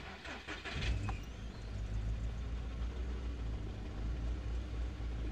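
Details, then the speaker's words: Audi A3 8P 1.6 (102 hp), NGK BKUR6ET plugs, jerks on acceleration with a burning smell: after start-up the idle settles into a lumpy, uneven, shaky low beat, engine vibrating. Misfire from a faulty spark plug. "un ruido extraño al levantar el capó y vemos que con la bujía en mal estado el motor vibra mucho no está vibrando mucho"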